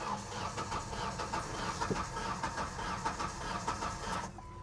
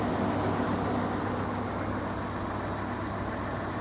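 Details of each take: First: Ford F150 with about a quarter million miles, listed non-runner, cranked on a jump pack: slow, lopsided cranking about 1.5 beats per second. Unbalanced compression suspected, possibly rings from sitting, blown head gasket or timing issue. Unconfirmed. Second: Ford F-150 with a 2.7 V6 and 97,504 miles, started right up, idling with the AC on: a smooth, even low idle with a steady hum and no knocks, misses or whine; a normal, healthy idle.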